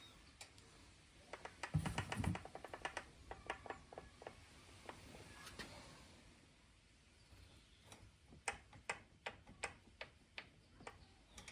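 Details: Specialized Levo Gen 4 e-bike with Pro 3.1 mid-drive motor, cranks turned backwards: sharp, uneven ticks and knocks, a freewheeling rattle that Specialized considers normal.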